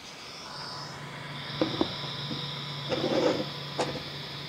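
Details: Creality CR6 SE 3D printer after fitting quiet Noctua fans replacing stock power supply and motherboard fans, mic on the print bed: steady low hum with soft high whir and light taps; noise dropped from about 53 to 49 dB.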